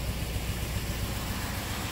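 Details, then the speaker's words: 1997 old-body-style work truck idling with no codes and a strong fuel smell: low rumble with uneven, stumbling beat and irregular dips from one dead cylinder; number two injector pulsing but not delivering fuel, lean misfire, needs new injector. "it's not terrible from here oh there's he's here cut out so we got a dead cylinder"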